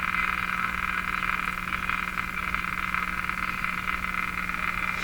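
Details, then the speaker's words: Philco 49-501 Boomerang tube radio with weak output, powered through a dim bulb tester. A loud steady raspy buzz with low hum drowns the station, heard as interference on AM reception. "it's too bad about that interference so I can't do anything about it I'm afraid"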